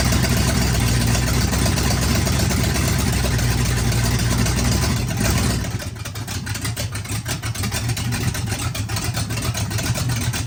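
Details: Oldsmobile 400 G big block V8, sat for a couple of years, first run with no coolant, Quadrajet carb: loud even run dropping to steady idle about four pulses a second, no misses, knocks or ticking, no smoke; runs great.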